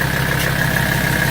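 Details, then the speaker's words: 1984 Mercedes-Benz 300TD diesel with a straight pipe, at high idle: steady, even clatter with a soft puffing of gases the owner calls his front exhaust, idling normally. "that's just doing its thing right there, puffing away."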